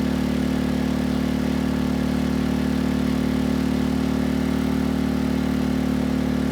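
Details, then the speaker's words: Sportsman GEN2200DFI dual-fuel inverter generator (Yamaha MZ80 clone), after valve lapping and another replacement ignition coil, at 1500 W load: even, steady engine note, smooth low hum, no misses or knocks; no struggle under load. "at 1500 watts no issues to report"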